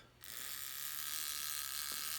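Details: F1G model aircraft mechanical timer, partly wound during rigging. A fast, steady, high buzzing whirr starts abruptly and runs evenly without hesitation; the timer escapement is running properly.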